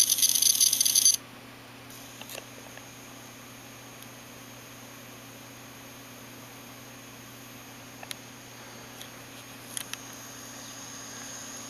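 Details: Failing hard disk: steady faint whir with scattered sharp clicks at irregular gaps and strange noises; drive broken, cause unknown.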